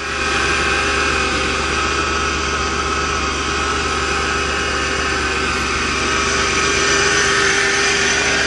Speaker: hopefully yes hahaha sounds like new to cool love it I knew my job just couldn't let me down